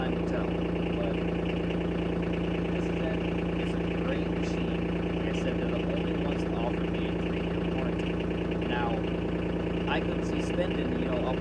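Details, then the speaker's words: 2021 Kawasaki Mule Pro DXT diesel, bought three weeks ago, at slow speed: a steady idle with a light, high-pitched, busy rattle over the low thrum; the owner dislikes it, beyond normal diesel clatter, though he was told it is normal. "i'm not too fond of the rattle motor supposedly that's just what it sounds like with slow speed"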